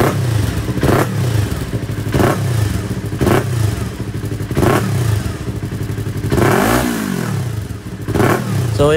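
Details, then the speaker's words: Yamaha R3 after the backfire fix and a hose refitted and locked; sharp throttle blips rise and fall cleanly with no pops or bangs on the overrun. "problem solve tayo guys. So nakaligtas na naman tayo sa gastos."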